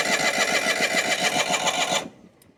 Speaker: I was out moving dirt with my 318 yesterday, and suddenly it started to stumble, it sputtered, and died.